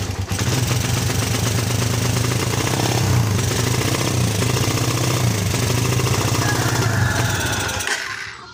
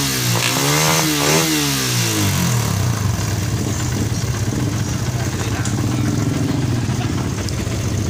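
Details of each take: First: Suzuki Satria FU that stumbles and won't ride, after fitting a new spark plug: revs unevenly and stutters, then dies, unchanged. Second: Suzuki Satria FU that stumbled and would not rev, with new plug and cleaned carburetor, run on a known-good battery: revs rise and fall cleanly and settle without stumbling; fault traced to the charging system not supplying current.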